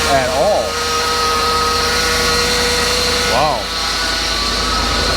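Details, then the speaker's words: Ford F650/750 diesel chassis truck at idle: steady unchanging whine over the engine, power steering noise not heard the day before; power steering pump suspected, possibly fluid topped up by others. "maybe this thing needs a power steering pump definitely did not hear that yesterday when I pulled it in"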